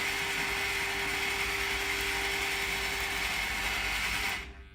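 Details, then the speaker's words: Tank robot drive motors on a motor controller, after being driven at setting 15. A steady thin buzz with a faint gritty rattle persists, thought to be because the speed command is not quite reaching zero. "so can you hear that Buzzy noise I think that's because of the lurping um it's not quite at zero"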